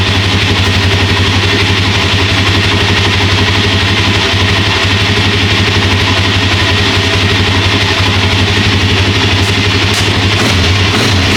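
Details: Second Suzuki LTZ400/KFX400 single-cylinder quad, fired up after the same post-winter service (new carburetor, cable, chain, oil and filter): steady, even putter at about three beats a second, no stumbling or misfire; clean normal idle.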